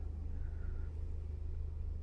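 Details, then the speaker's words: 2019 Toyota RAV4, 35,000 km, with low oil pressure codes, zero oil pressure and jerking: a low, fast rhythmic knocking under a deep engine rumble from oil-starved rods, metal debris in the pan; the engine assembly was replaced. "engine oil pressure is uh not is zero and there is a knocking noise"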